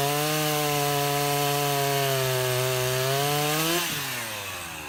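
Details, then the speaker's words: Husqvarna 353 chainsaw restored (gas line and chain drive repaired, carburetor just tuned), cutting wood: strong, steady high two-stroke scream holds revs through the cut, then eases off cleanly; pulls well and healthy, chain grabby. "all right I think she's gonna run her so that's a 353 I'll run a couple of tanks of gas out of it and then put her on the market"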